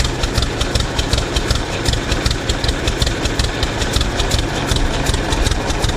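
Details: 1926 Hart-Parr 16-30 tractor running after its first start in over a decade; slow, heavy, even thump about two and a half beats per second with sharp exhaust cracks, running steadily and healthy.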